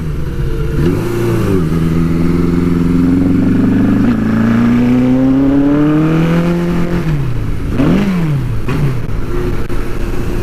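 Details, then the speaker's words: Custom Suzuki GS850 scrambler in very cold weather: engine note climbs unevenly then sags and stumbles as throttle opens, bogging at low rpm but recovering at higher rpm; owner suspects insufficient fuel delivery. "As you might be able to hear, the bike's still having a little bit of a fuel problem. It sounds like it's just not getting enough fuel. See how it bogs like that?"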